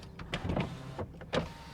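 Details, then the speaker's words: 2014 BMW 640i Gran Coupe M Sport at a salvage auction. Quick, strong power-window motor whirs as the glass goes up and down, with no grinding or binding: normal window operation. "Boy, they go up and down with a purpose. That is really quick. No funny business there."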